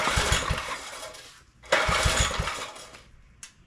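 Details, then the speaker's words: Neglected John Deere tiller being revived, choke in use: small putters in short uneven bursts that die away and catch again while the idle screw is adjusted. The governor is judged fine. "the governor is fine we just need to make some adjust here and CH I'm changing the idle screw"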